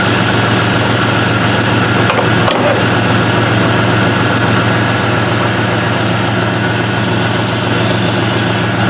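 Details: LS-swapped Mazda B2200 V8 at idle after replacing a failed Bosch 044 fuel pump, with fuel pressure at 50 psi and the regulator working: steady, even, deep low rumble with no misses, knocks or hunting. Normal idle.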